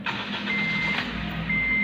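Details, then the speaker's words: Honda Mobilio, just started and stationary: low, steady, even idle under a couple of chime beeps, normal below 1900 rpm; owner complains rpm cuts out when revved to 4000 stationary, which is said to be normal for this engine. "Ya, sekarang RPM normal, ini standar di bawah 1900 ya."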